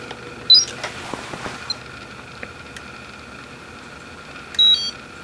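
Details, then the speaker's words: Peak Atlas ESR70 ESR meter testing a 5.51 ohm resistor: quick rising chirp, light clicks, then a two-level beep signalling resistance above the 40 ohm limit, not a capacitor. "did you hear that two level beep that means that the resistance that measured was greater than 40 ohms and it tells you this is not a capacitor"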